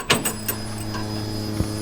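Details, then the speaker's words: Toyota FJ40 with a newly fitted DW200 fuel pump replacing a loud Walbro, key-on test: a few clicks, then a faint, steady low hum under the background; the new pump is much quieter and primes normally. "oh my gosh did you guys even hear that let's flip it on one more time that thing is freaking quiet that's what I'm talking about that pump is so much quieter than the wall brro"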